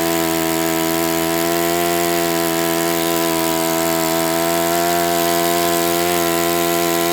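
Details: Enya 46-4C four-stroke model engine on a test stand, 11.5 prop, air bleed opened 1/4 turn: high, steady buzzing run with a rough, gritty edge; owner suspects it needs new bearings.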